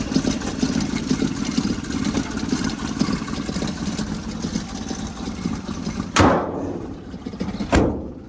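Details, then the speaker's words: 1977 Toyota motorhome engine revived after sitting for months. Warm idle is an even, steady low rumble with no misses or knocks, then a couple of sharp bangs from handling. Normal idle. "Purring like a kid."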